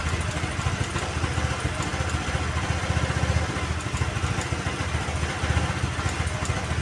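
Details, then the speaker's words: Honda Vario 110 (KVB) carbureted scooter: a low, uneven idle that sags and picks up again, and the rpm rises on its own after the throttle is released instead of dying; carburetor air screw mis-set and the auto choke faulty. "Tadi digas dia enggak enggak mau mati, cuman RPM-nya malah tinggi. Nah, ini berarti menandakan bahwasanya di bagian karburator dia ee kurang ini kurang tepat untuk settingannya."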